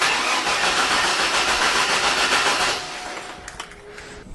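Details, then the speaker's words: 1999 Chevy Blazer 4.3L Vortec V6 with a P0305 misfire, cranking on the starter: a steady, even rhythm with no dips or surges, indicating good compression, which a compression test then confirmed. "you can hear that it has a very nice even flow to the starting you don't hear a lot of dips and wave indicating that the compression on this engine is pretty good"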